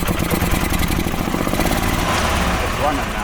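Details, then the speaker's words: 2012 EZ-GO TXT gas golf cart with Kawasaki engine, previously crank-no-start, after carburetor install and new fuel filter and spark plug: steady, even putter with no misses. A faulty spark plug is suspected as the cause. "so maybe it was just a faulty spark plug uh it it does happen it's rare but it does happen"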